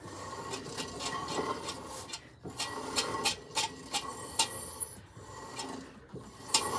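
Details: Car lifted on jack stand with wheel off the ground, before the drum was removed (brakes or bearing suspected): rough rasping scrape about three times a second as the wheel spins; inside were worn shoes and hardware, and the drum may need replacing.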